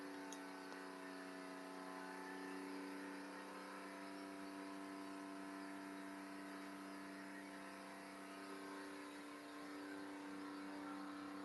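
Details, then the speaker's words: Porsche 997 freshly rebuilt engine on its second start attempt, oil tank just warming, held at about 4,000 rpm for 30 seconds for break-in; clean, even whir with no knocks or ticks; normal high-rpm break-in run. "All right. So now what I do, I rev it to about 4,000. Uh-huh. Take it to 4,000 and hold it there for 30 seconds."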